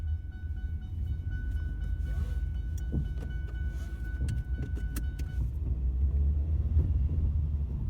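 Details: Ford Mondeo driving on road, camera on back seat: deep rumbling knocks thud through the rear floor as all four split rear subframe bushes let the subframe knock against the body, worsening over about three years.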